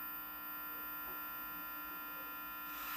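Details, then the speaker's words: 1980 Philips black-and-white TV with no sound and no picture: a steady mains-like hum with a fixed high tone at maximum volume, unchanged when volume is raised. Probably a power-supply fault, not confirmed. "esse ruin é ruin provavelmente de fonte tá porque você aumenta o volume aqui ele não aumenta junto tá é só o ruído ele é constante"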